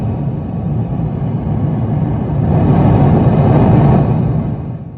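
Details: Bogner Ecstasy Red overdrive pedal on 9V battery (external power supply ruled out), into 2024 Fender Hot Rod Deluxe IV amp with 2024 Fender American Professional II guitar: deep heavy rumble swelling and fading even with volume and gain down; internal hardware fault suspected.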